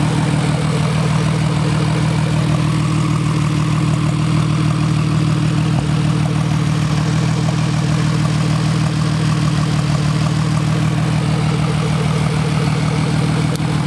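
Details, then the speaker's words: DeLorean #2727 with a twin-turbo, twin charge-cooled engine, the day after its first run following a rebuild of the heads, cams, valves, charge coolers and turbos. Microphone between the exhausts. A deep, even burble with a steady light injector tick from batch-fired injection; a smooth, healthy warm idle. "Settling down to a nice idle."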